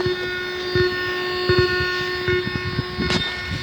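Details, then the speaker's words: Amplifier in Bluetooth mode, played through its speaker: steady mid-pitched hum with higher whistling tones and irregular crackly ticks; unwanted noise, cause unknown. "Bluetooth mode. হ্যাঁ বন্ধুরা, এই অ্যাম্পলিফায়ারটির সমস্যা হলো, একটু আপনাদেরকে শোনাই, দেখেন এটাই কী রকমের সমস্যা।"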